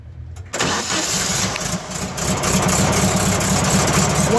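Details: 1970 VW Type 2 bus (Riviera conversion, slight oil seepage at bottom of motor), started during pre-purchase inspection, heard from underneath: engine catches and settles into steady even low-rumble idle, no knocks or misses; normal idle.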